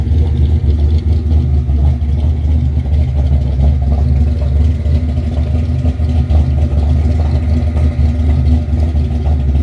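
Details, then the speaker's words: 1963 Impala 468 V8 with big cam, after removing restrictive paper breather elements that made it keep cutting out: deep, choppy idle with steady uneven lope, running smoothly with no odd knocks or squeals. "beautiful sound ain't it"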